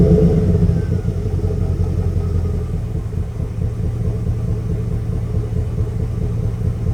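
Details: High-mileage Chevrolet Express/GMC Savana full-size V8 van at idle: deep uneven rumble with a stumbling off-beat pulse about four times a second, like one cylinder dropping out; misfire.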